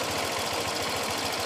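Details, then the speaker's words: Honda Vario 125 scooter, engine still hot with the overheat warning light on, owner reports a rough engine noise: harsh, rattly, coarse pulsing at fast even beats; rough mechanical noise, cause unconfirmed, engine shut off quickly for safety. "kondisi masih panas suaranya mesin menurut informasinya kasar suaranya saya Matikan ya"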